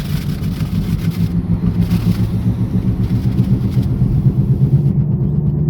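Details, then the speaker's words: Possibly 2016 Chrysler 200 on test drive at about 20 mph, complaint of growling/grinding noise without slipping: heavy low pulsing growl under way; suspected transmission noise, possibly hub bearings. "Now the car came in growling noise, grinding noise, okay."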